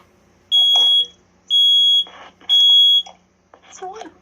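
Three loud, shrill half-second beeps about a second apart, then a pause: the alarm's normal test pattern sounds correctly.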